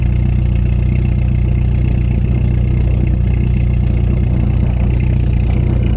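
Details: 1989 Volkswagen Jetta MK2 1.8L with louder aftermarket exhaust: after a couple minutes of good running, low heavy idle with uneven pulse about three beats a second, smoking, near stalling; cause unknown, no vacuum leaks found.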